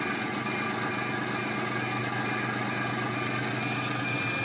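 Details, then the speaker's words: 5-inch gauge Class 14 loco with RC control and DCC sound decoder: steady pulsed high beeps about 1.5 per second over constant hum; dead-man's switch warning as button not held, loco about to be killed. "You can hear now that it's beeping at me, telling me that I need to press the button. So in a second, it will kill the loco."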